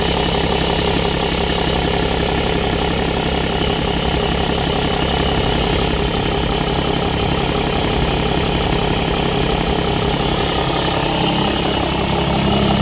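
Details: 2004 BMW E60 530d M57TUD30 diesel, euro3 with no DPF, 125,000 km, warm idle: uneven chuffing tick about three per second over the clatter, located at the passenger-side exhaust manifold, only when warm, no fault codes; owner suspects cracked manifold or EGR valve.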